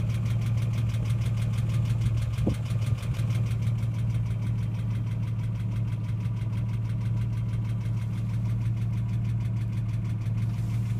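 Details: Ford AU XR6 engine: steady idle with a quick, even tapping about three per second. Occurs only after revving above 4000 rpm, then slowly fades over about 5 minutes. Ticking noise at idle, cause unclear.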